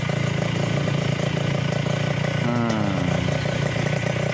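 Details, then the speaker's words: Yamaha Touch 125 after an engine rebuild, idling during break-in with one throttle blip; steady single-cylinder thump, the earlier clatter gone, only exhaust ring heard; a clean normal idle. "Kita dengarkan suaranya perbedaannya dari yang kemarin itu loh, kelatak-kelatak, klotok-klotok, hilang total. Yang terdengar cuma cering-cering kanal potnya itu."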